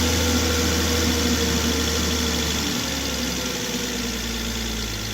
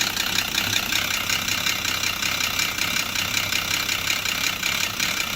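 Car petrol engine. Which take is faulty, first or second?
second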